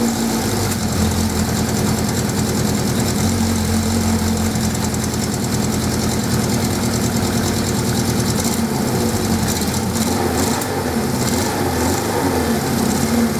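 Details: 1979 Suzuki GS550E four-cylinder motorcycle started after about five years laid up under a cover in a garage: steady, even idle with a smooth low beat and no knocks or rattles, running cleanly after long storage.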